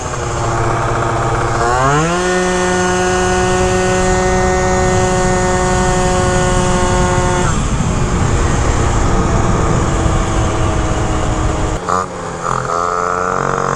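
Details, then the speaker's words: Malaguti Phantom F12 scooter with 70cc kit, Stage6 MK2 and Yasuni C16 pipe during tuning; revs shoot straight to about 10k off the line, then drop as the pulley opens and never exceed about 11k: over-revving, limited top rpm. "like to me it sounds like it over revs right there red straight to 10k but then when you're on it and the pulley opens up it drops and it never goes above like 11k"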